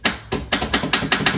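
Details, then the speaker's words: 1971 VW Beetle parked 23 years, starter jumped directly before the ignition is switched on: six or seven sharp metallic clacks with no engine rotation; starter engages but won't turn, and a bad starter is suspected. "so we just gotta tap this to here and that's our starter it's not working this is a bad starter so why is our starter not working"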